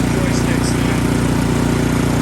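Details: Ariens Deluxe 28 snowblower after swap from its 254cc engine to the 369cc LCT engine from a Platinum 24 SHO: steady, even single-cylinder putter with firm low thump, no misses or knocks; runs properly.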